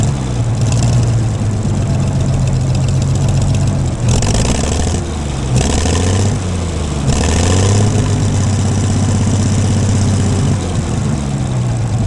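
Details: Gleaner combine gasoline engine on its first start after a carb rebuild, starter rebuild, two push rods straightened and rewiring. Old tank still holds some sludge and there is no antifreeze, so only a short run. Low, throbbing idle that wavers and stumbles; exhaust blew out debris, owner suspects a mouse or bird nest.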